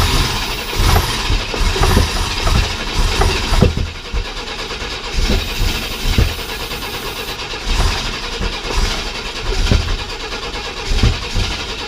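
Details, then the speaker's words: 1995 Chevy S10 Blazer, 4.3L Vortec V6, after the rocker arms were tightened and the timing reset: uneven coughing bursts as it fires on starting fluid but does not hold a run. It has no fuel system hooked up yet. "we can see if this thing will fire off of a little bit of starting FL then we can move on to our temporary fuel system"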